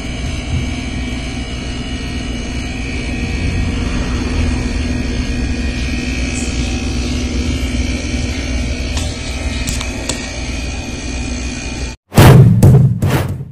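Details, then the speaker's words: Samsung Digital Inverter outdoor unit: loud, rough low rumble and steady drone from mechanically worn compressor that has lost compression; same compressor issue as one replaced six months earlier. "Narinig nyo na yung compressor kung gaano kaingay, no?"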